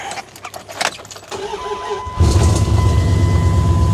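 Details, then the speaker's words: Older Dodge Ram catches after clicks and settles into a steady run; original fault blamed on bad cap and rotor. "It runs. Definitely don't need a damn computer, I'll tell you that."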